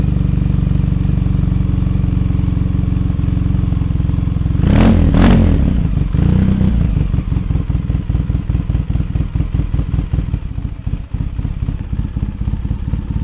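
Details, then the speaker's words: 2003 Polaris Sportsman 700 Twin ATV after Big Gun exhaust and Dynojet carburetor jet kit, first start on choke: loud, deep exhaust picking up cleanly on two quick throttle blips, settling back to steady idle; running well. "Okay, Billy Badass, I hear ya. And I think that's your name, Billy Badass."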